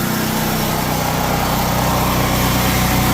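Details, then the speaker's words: 7,000-watt generator taking a 3.5-ton AC condenser fitted with an ICM 870 soft-start kit plus the whole house: steady, even drone at constant pitch with no bogging, hunting, misses or knocks; healthy under load. "generator didn't make a sound didn't bog down didn't bog down at all"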